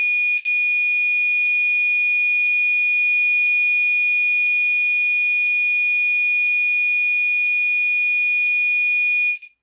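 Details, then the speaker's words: Fire alarm horn on 2400 Hz tone with California code during a system test: a steady piercing high tone holds almost ten seconds with a slight shift, then cuts off cleanly; horn sounding correctly. "let's go ahead and give California codon 24 hundred Hertz another try see yeah it's got an interesting little shift"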